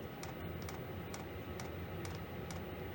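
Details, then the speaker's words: Diesel heater in a non-insulated two-man ice hut: steady, evenly spaced light fuel pump ticks about twice a second over a soft fan rush, metering normally. "I am going to turn that up to level 6. So that will heat up. You can hear the fuel pump heating up quite a bit."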